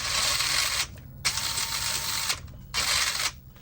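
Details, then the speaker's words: Element Enduro SE RC crawler with Radiolink Cool 9030 brushed ESC and 15-tooth pinion: clean, even high whine in roughly one-second bursts in reverse, no grinding or skipping; normal gear mesh. "Actually, that 15 doesn't sound that bad. That sounds really good in reverse."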